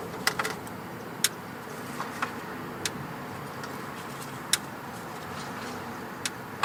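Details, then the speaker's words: 2005 Honda Pilot with bad transmission, shift solenoids actuated with a scanner: sharp isolated clicks at irregular intervals over quiet background as solenoid B on top energizes; normal solenoid actuation. "We got B. That's on the top there. Yep, it's clicking. And again."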